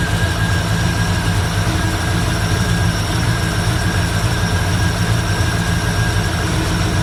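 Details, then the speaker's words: 1964 Ford Fairlane fitted with an old Busch Series race carburetor: fast, steady, heavy idle rumble that won't settle down; the throttle return spring is too weak to return the throttle linkage. "it won't idle down it's still it's still idling up way too high um our throttle return spring is not the strongest or is not strong enough to return that that t"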